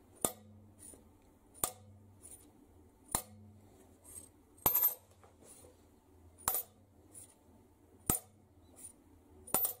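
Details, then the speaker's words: Mercedes OM366 diesel cylinder head on the bench: valves lifted and dropped onto their seats give crisp bright clinks about every 1.5 seconds; a ringing sound indicates an ideally cut seat, while a dull thud indicates a poorly cut one. "А цей клапан впав і все це все із-за того і за подрезки сідла то есть коли в нас ідеально подрезка сідла на все чотко то вона з клапан буде дзвеніти"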